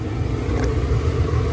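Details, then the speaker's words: LG gas dryer after gas solenoid valve repair and quarter-turn adjustment, running six minutes and heating: steady even drum rumble with no squeal, scrape or knock; normal running. "I just had to play around with it a little bit and actually figured it out it's been running for 6 minutes and it's still going"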